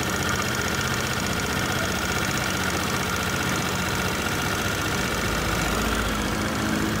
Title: Kymco/Many100-110/後普利變速組/滑軌乾澀/異音rear pulley transmission Dry rails produce abnormal sound